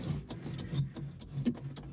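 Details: John Deere 5075E tractor seat, short sharp squeaks and dry creaks each time the seat rocks; owner suspects the seat spring or shock, before lubricating with Fluid Film.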